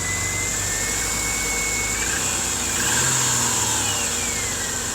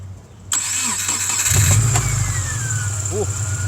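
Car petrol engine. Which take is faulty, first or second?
second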